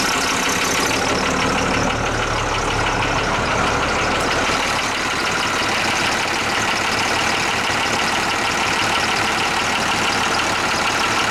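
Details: International truck DT466 diesel at idle after a cold start, fuel solenoid not working: fast light ticking about three per second over the engine note; owner still thinks it's a lifter, possibly injector knock, unconfirmed.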